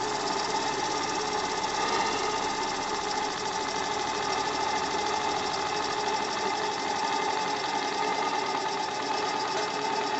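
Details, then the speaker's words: AL5 live-steam model engine after about one hour break-in, steam valve and burner turned down to run slowly: fast even chuffing over steady hiss; steam leaking at piston rod glands, water puddle forming, leaks not yet fixed. "Alors vous entendez toujours le tchou-tchouf et vous voyez toujours ici la flaque d'eau qui se crée. C'est pas grave."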